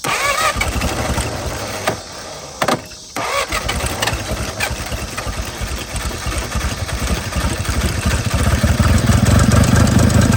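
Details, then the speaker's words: 1950 DeSoto Custom two-door club coupe sitting since 2019, restarted on a temporary fuel tank feeding the carb: catches after a pause and settles into a low, lumpy, uneven idle; doesn't idle smooth. "There it went. Doesn't idle very smooth."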